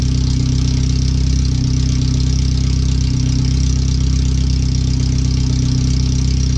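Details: First startup after a new header and fuel filter, with O2 sensors relocated and a wideband added; open header only, with no exhaust behind it. Very loud, harsh idle with even exhaust pulses about four a second and no muffling. The computer reads 5–7% rich.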